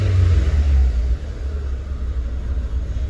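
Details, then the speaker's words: Chery Tiggo on natural gas (GNV), after throttle-body cleaning with WD-40 for an idle problem: a low rumble swells on a rev, then settles to an even note; revs fairly smooth with only faint irregularity. "beleza parece tá redondinho embora ele ainda esteja um pouco e regular o funcionamento"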